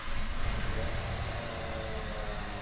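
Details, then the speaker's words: 1999 Ford Explorer with 60,000 miles that sat three years, after a fix so fuel pressure now holds when primed: the engine catches quickly and settles into a steady, even run with no long cranking; the hard start is cured. "No more hard start. Just gonna take her for a little test drive, see how she feels."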